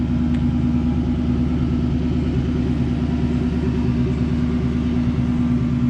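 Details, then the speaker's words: 1968 Ford Mustang with a new exhaust and Flowmaster-style mufflers with GT tips, with excellent oil pressure: a deep, steady V8 burble at idle with an even lope and no knocks or rattles. Normal running. "all right I will start it up [Music] the exhaust is new there are Flowmasters type style whatever mufflers"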